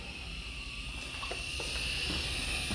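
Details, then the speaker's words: Medussa bottle filler for beer after CO2 purge and pressure equalization: steady airy hiss with thin high note as the pressure relief valve is opened; normal sign the bottle is filling, more opening fills faster. "We have to actually adjust this pressure relief valve. Now you can hear it hissing, and now it's starting to"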